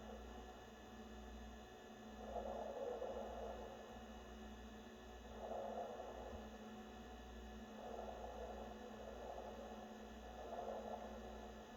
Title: NewAir 6" 7-Bottle Compressor Wine Fridge makes loud underwater gurgling sounds